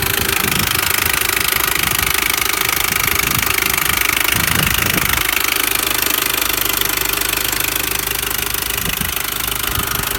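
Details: R53 Mini Cooper S at idle: a fast, even metallic tapping or rattling, roughly three a second, over a steady idle. The top-end tap's cause is unknown.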